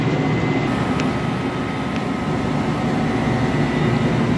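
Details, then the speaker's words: HVAC condensing unit restarted after cleaning, motors kept dry: steady even hum and airy fan rush with no knocks, rattles or squeals; all motors running. Normal running. "started it back out all the motors are running you want to make sure everything works you don't want to leave and then find out that you shorted out a motor or something"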